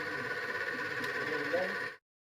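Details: Stone flour mill (chakki) motor after service and bearing change, drawing 2.7–2.8 A: a steady, even motor hum with constant pitch and no rumble or grind, then it stops cleanly; running normally.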